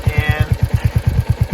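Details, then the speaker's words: Royal Enfield Hunter 350 single-cylinder at about 3,000 km idling: sharp regular ticking, about eight per second, from the timing-chain side, noticed from around 500 km; owner suspects timing chain or tappets, bike otherwise runs smoothly. "so as you can hear tickles inside here so I've read a lot of articles online and seems like this noise comes from here where there's the timing chain"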